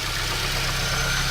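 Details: Chevrolet Celta engine at idle after preventive maintenance, throttle body cleaning and injector service; steady, even idle with a smooth low hum and no knocks or misses, engine sounds healthy.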